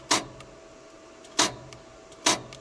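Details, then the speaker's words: 1992 JLG 60H 4x4 boom lift, Ford LSG-423 gas engine, jumping control source to always-hot main power: three sharp clicks about a second apart, no cranking; starter relay clicks but engine will not turn. "if you jump them you can hear a clicking in"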